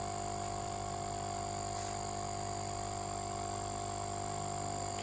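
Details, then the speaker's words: Used compressor tested for resale fitness, capacitor fitted, current around 0.6–0.7 A: steady even hum with constant high tone, no knocking or stalling; runs smoothly and usable, durability uncertain. "jadi kompresor ini masih bisa dipakai tapi kalau untuk awetnya misalnya ada yang tanya awet atau tidak saya tidak bisa menjawabnya ya"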